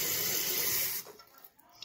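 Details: Toilet tank after replacing fill and flush valve parts and adjusting the float: water rushes steadily in, then shuts off cleanly at the set level and goes quiet, no more leaking; normal refill.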